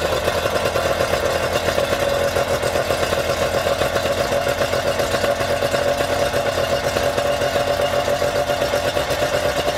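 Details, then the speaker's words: Yamaha outboard run out of the water on a two-sided dual-entry flush muff with water flowing: steady, even idle with a quick regular pulse and smooth whirring, no knocks or misses; this muff worked surprisingly well; normal idle. "so that one did surprisingly good i say surprisingly reason today this one just wanted to outperform so i'm actually quite impressed with this one"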